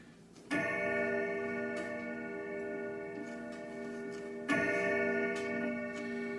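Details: Grandfather clock chime rods struck once each and ringing out clear and long with even decay and no dull damping, tested after bracing the sound board to hold alignment with the rods; no hammer damping found, chimes sound properly.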